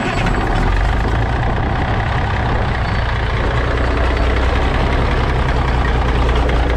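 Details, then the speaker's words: Old cabover diesel truck after sitting for years, oil changed and fuel filter primed with clean diesel, in neutral: deep, steady rumble at idle with even beat, no knocks or stumbles; started up smoothly, normal idle. "started up really smooth well I guess me priming our fuel filter up help"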